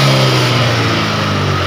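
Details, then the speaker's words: Honda Vario 125 FI scooter started after work on the fault that kept the MIL and radiator temperature lamps lit and caused sudden stalling: starts immediately, steady even idle hum with no misses, knocks or rattles; normal idle, MIL still on. "Oke, kita tes starter langsung. Oke, motornya langsung hidup ya."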